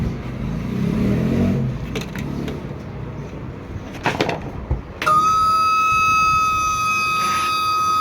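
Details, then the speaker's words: Super Asia air cooler converted from 220 V AC to 12 V DC, new pump on 12 V: rough rattle at first, then a steady high whine with a sharp onset as the small pump runs dry with no water. "ये पंप हमारा इस वक्त जो है बग़ैर पानी के चल रहा है, तो ये आवाज़ कर रहा है।"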